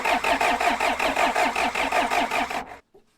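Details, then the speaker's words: John Deere 310 backhoe diesel, fuel system being bled while cranking: steady cranking about three turns a second with no firing; bad cutoff switch or fuel pump suspected. "we're getting white smoke when we when we crank it over and it does run off ether"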